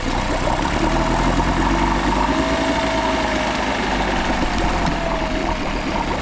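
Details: Small cheap outboard that the seller said had been running, with clean oil, starts on choke and settles into a steady, even idle with no knocks or misses, pumping good water; it sounds healthy.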